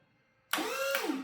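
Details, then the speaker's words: Electric pallet jack after new transformer install, limit switch bypassed with a jumper: brief lift motor whir rising then falling as forks go up and down; lift works normally. "Woohoo. Goes up and goes down."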